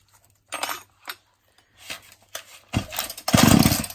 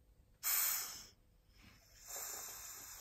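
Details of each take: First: Husqvarna 236 chainsaw after the binding chain was removed: a few pulls catch, then it settles into a steady, even high-pitched buzz with no surging or dropouts, running healthily. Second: Husqvarna 236 chainsaw crankcase pressure test with compressor, ports blocked: sharp steady hiss in two long bursts, air escaping near flywheel; suspected worn flywheel-side crankshaft oil seal, bearings also faulty; crankcase air leak.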